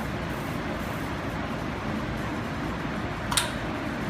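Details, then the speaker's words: Geil gas kiln, pilot lighting with the push-and-hold button and the main burner gas off: a steady soft gas hiss, then a brief tick as the pilot catches. The thermocouple proves the pilot lit, so ignition is normal. "To turn the pilot light on, I'm going to push and hold this button, much like when I'm lighting a hot water heater. And we're going to hang on. I can hear it starting."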